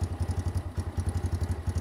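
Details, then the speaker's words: New X-PRO 125cc Chinese sportbike, first start with choke, cold: small single-cylinder thumping about eight pulses a second with a loose clattery buzz on each beat; something vibrating at idle. "ways joke crank it that doesn't sound half bad though well it sounds half bad doesn't sound more than 3/4 but something's vibrating alright this that sounds like crap"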